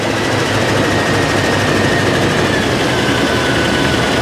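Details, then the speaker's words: 1955 Chevy Nomad V8 with HEI ignition, first start in years: oil pressure and fuel at carburetor, coolant and thermostat in, return spring missing. Loud, steady, even idle with no misses or stumbles, running on all eight with nothing burning. "Anyway, it runs, has coolant in it, has a thermostat in it. Sounds like it's running on all 8, nothing's burning."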